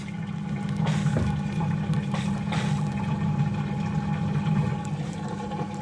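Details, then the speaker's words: Hotpoint Active Care washing machine during the final drain and spin: a steady low hum with water rushing through, no rattles or grinding. The drain pump is running normally. "okay oh it literally just started draining I just got that bang on perfect time"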